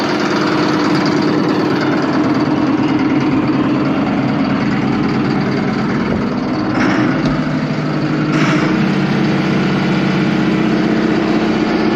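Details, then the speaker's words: Allis Chalmers 7580 tractor diesel at idle, just fitted with a new factory-style muffler replacing the chrome stack. Deep, even clatter with no misses or knocks; it sounds more like a 426 and is still loud, but quieter. "Now she still bellers pretty good, don't get me wrong, but yeah, it will help my ears a lot while I'm out there disking."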